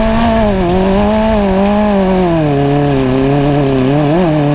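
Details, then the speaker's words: Carbureted Magnum super buggy race car on track after a new carburettor; the loud note wavers and stumbles when cutting left or right, fluttering out from fuel starvation; the idle is now fixed, and the float is suspected too high. "it fixed the idle uh i think we might be a little high on float because now when i cut it to the to the left or to the right i mean it's fluttering out"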